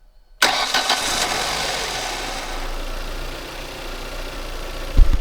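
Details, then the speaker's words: Manual-transmission car, first start-up after replacing a 12-year-old timing belt, with motor mount and battery reinstalled. Short crank catches at once, then a steady, even idle with no knocks or ticks; normal start and idle. "Give me one quick second. All right, guys. Here we go. First start up. Listen for it for me."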